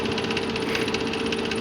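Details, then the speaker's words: 2007 Nissan Maxima, 3.5L QR35DE, CVT, 172,640 miles, no check engine light: light, fast metallic clackety-clack at idle that goes away with higher rpm. Suspected slack timing chain tensioner with the chain slapping the cover; timing components need replacing. "get the RPMs up the noise goes away but you can hear that little clackety-clack"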